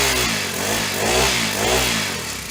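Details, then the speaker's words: Honda FG100 mini tiller after valve adjustment: small single-cylinder engine buzzing evenly, pitch rising and falling with light throttle, no tapping; much quieter than before the valves were set. "starting to like this a little better much quieter than it was yesterday when it had no valve"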